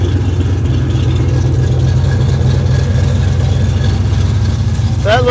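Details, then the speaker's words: 1972 Chevrolet Chevelle V8 rescued from farm field, alternator giving 14 volts, 50 lb oil pressure, 6.5 lb fuel pressure, minor leak; deep, steady rumble at even idle, no misses, knocks or ticks; normal idle. "well there you go I love it I caught it with a switch that time she's a runner sweet man that's good"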